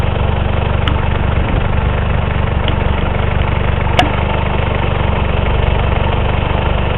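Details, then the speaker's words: 1984 Honda Accord with straight-pipe exhaust at idle: uneven lumpy idle, about four pulses a second stumbling irregularly, engine shaking badly, misbehaved off throttle on highway. "i don't know if you guys can see this but it's shaking very badly"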